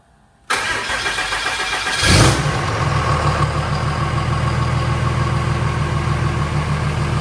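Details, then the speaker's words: Cummins-swapped OBS Chevy truck at its first start after oil pressure was primed: brief crank, a burst as it catches, then a steady even diesel idle with no knocks; a power steering leak was found afterward. "Running. Freaking running, guys. Hell yeah. That was great."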